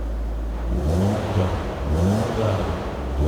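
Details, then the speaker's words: 28-year-old BMW Z3, after new ignition coil and fresh spark plugs to cure a misfire: catches cleanly and revs up and down smoothly with even note, no stumble, misfire fixed. "If you remember before it ran but it was misfiring. So fingers crossed that new coil has sorted it. Let's give it a try. Oh, that sounds all right."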